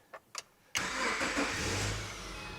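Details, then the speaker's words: 2009 Subaru Forester after head gasket replacement, starting on newly programmed key: two faint clicks, then engine catches instantly into smooth even idle, no long cranking; normal start. "Fires right up, just like that, piece of cake."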